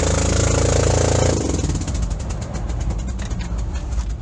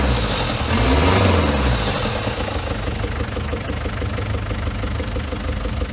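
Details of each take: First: Daihatsu Fourtrak pickup engine with a blown head gasket, before engine swap: after the engine note drops, rough uneven chuffing pulses around four a second, consistent with leaking compression. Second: Daihatsu Fourtrak pickup, swapped-in replacement engine after head gasket failure, restarted after fixing a loose oil leak; settles into steady even idle with regular beat, no knocks or rattles; sounds healthy.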